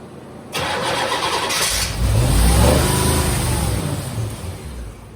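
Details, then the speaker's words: 1987 Corvette C4, under 86,000 miles, sat for years, new injectors, suspected vacuum leaks: cranks, catches briefly, swells a couple of seconds under throttle then sags away without idling; won't stay running. "Won't stay running. That's all we get."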